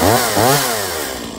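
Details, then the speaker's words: Stihl MS170 chainsaw after stop-switch fix and full service (new plug, air and fuel filters, fresh fuel, tank cleaned): crisp two-stroke rev rising, dropping back, settling smoothly without misfire; starts, runs, stops on switch normally. "okay so this little still ms170 starts good it runs good it shuts off with the switch again"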